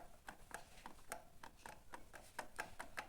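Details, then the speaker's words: 2020 Honda Fan 160 with a noise from the cylinder head, camshaft bearing turned by hand: quiet, uneven dry ticks about three or four a second; camshaft bearing worn with excessive play, causing the head noise. "barulho no rolamento rolamento do comando com barulho aí provoca todo os barulhos no cabeçote eu percebi que o barulho tava aqui no cabeçote"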